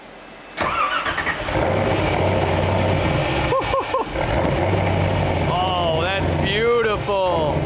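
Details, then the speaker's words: LS V8-swapped Porsche 996, first cold start after a new custom exhaust moved away from the overheating starter and hard-mounted to the engine: starter catches, engine fires straight into a deep, even burble and settles to a steady idle; healthy. "That is so nice. Dude, this sounds like a professional car and not like just a lop-off job, you know?"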